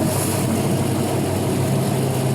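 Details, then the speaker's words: 5.3L LM7 Gen 3 LS from a 2001 Silverado, 151k miles, LS1 cam, on a test stand at 198 degrees with oil pressure just over 40. Smooth, even idle with a brief rev; no knocks or ticks; dry and healthy. "Here, look at your little rev. Sounds good. Still at 198 degrees. Like I said, that's where it'll sit. Nice and dry, nice and quiet."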